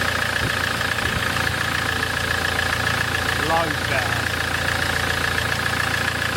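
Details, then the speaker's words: Land Rover Defender 2.4 Puma diesel just after injector service and bleeding, previously chuffing pressure through the oil filler cap and spitting oil: steady even idle with smooth regular beat, no knocks or misses; normal idle. "L uh sounds pretty sweet [Applause] though [Applause] that used to spit spit oil all over"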